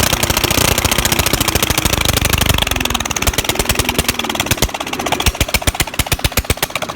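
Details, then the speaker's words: Old lawnmower engine, long left sitting, now running with its crusty muffler removed: loud, sharp, evenly spaced exhaust cracks slowing slightly at the end; head gasket is bad and due for replacement. "yeah so i finally got this thing to work and that's what it sounds like with this old crusty muffler off there"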